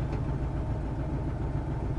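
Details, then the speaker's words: Truck with the exhaust opened ahead of the catalytic converter, check engine light expected, idling: a deep, coarse tractor-like rumble much louder than stock; power returned on a drive, confirming a plugged catalytic converter. "start up and remember you will get check engine so don't worry and that's gonna sound a lot gnarlier"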